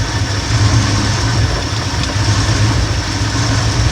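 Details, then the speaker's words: 1971 Ford F100 302 small-block V8 after carburettor tuning and slight timing advance: deep, even idle with no stumble or hunting, then rev climbs cleanly; smooth idle. "go ahead and give it a little bit of gas to see how it how it does climbing in rpms sounds pretty good"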